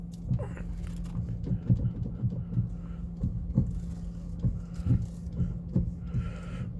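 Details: Steering knock on a running car at standstill when wheel turned sharply: dull irregular thumps over low engine hum, not heard while driving; worn steering rack bushing (temporary one fitted) and broken stabilizer bushings found.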